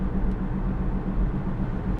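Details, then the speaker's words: 2005 Toyota Camry near 300,000 miles, driving on test drive: low pulsing helicopter-like drone over road rumble rather than grinding, from a badly worn front wheel bearing. "I don't really hear a grinding noise, but I do hear like a helicopter sound almost."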